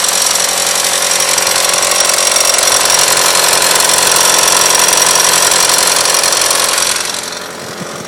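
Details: A harsh, fast, even metallic chatter, like two metal parts striking, occurs only between 1500 and 2000 rpm and then drops away; the cause turned out to be the timing belt tensioner.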